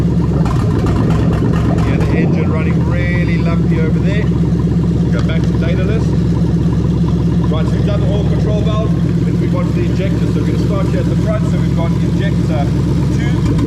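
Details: Lexus LS430 3UZ-FE VVT-i V8 on an adapted harness for a Toyota Altezza RS200 (J160 manual), idling during oil control valve active tests: a steady, even low rumble with no knocks or misses. Normal idle.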